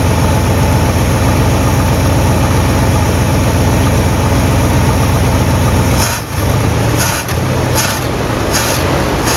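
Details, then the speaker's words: 1958 Super engine idling on first start, untuned with unknown timing; rough, uneven idle with puffing, ticking chatter and irregular stumbles from several exhaust leaks in a trashed exhaust system. "i've got a bunch of exhaust leaks but this exhaust system is kind of trashed"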